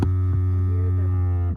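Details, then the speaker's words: Rear-left multicontour seat air compressor on a Mercedes GL 550 X164 runs with a steady low electric hum about 1.5 s then cuts off cleanly as pressure builds; compressor pumps and stops normally. "There's the compressor running. So, we know the compressor is good. You can just hear it. It'll pump and then it'll stop."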